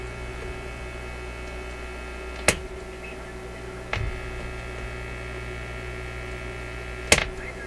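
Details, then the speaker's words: Zenith Y825 vacuum tube AM/FM radio: a constant low hum, worse on phono with nothing plugged in, and switch clicks leave it unchanged. Owner guesses hum enters at the front end of the audio preamp. "It should go silent on that phono with nothing plugged into it. So I'm gonna suggest the problem is right at the front end of the audio amplifier."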